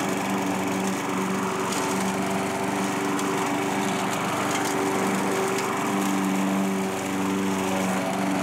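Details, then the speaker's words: Curbside-found Craftsman self-propelled mower after carburetor reinstall, running while cutting light growth. Smooth, even buzz at steady speed with no misses or surging: normal running. "runs along better it actually does an okay job cutting some of this stuff too"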